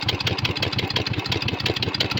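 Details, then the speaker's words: Motorcycle with a newly installed fuel pump, idling after starting: an even, slow popping beat of about eleven pulses a second with no surge, but the idle sounds set low. Removing the choke stalled it; the owner believes the idle needs turning up. "So, yeah, starting it isn't an issue. Starting it with the choke isn't an issue, but I do believe I need to turn my idle up."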